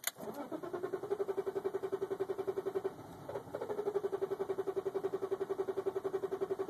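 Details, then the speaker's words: 1995 BMW 325i with long-running hard start, in neutral, fuel pump primed 5 seconds, no throttle; always starts by clutch pop: steady cranking at about four compression beats a second, nearly fires but never catches; extended crank, no start. "It almost started there. So close."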